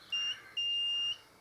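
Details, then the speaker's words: Multimeter set to continuity, probes touched together to check it works before testing a Harley Electra Glide neutral light circuit: two clean high-pitched beeps, one short, one longer; normal continuity beep. "So I'm going to set it on to a beep, like a continuity. I'll just check that it actually."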